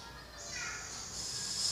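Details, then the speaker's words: Gas stove on LPG cylinder, Y-branch hose feeding two stoves, regulator opened about two-thirds turn, stove knob barely turned: sharp, steady hiss swelling over two seconds, no flame; excessive gas flow, turn right to reduce. "jika terdengar seperti ini gas yang terlalu besar berarti segalanya terlalu banyak kita putar kearah kanan untuk mengecilkan"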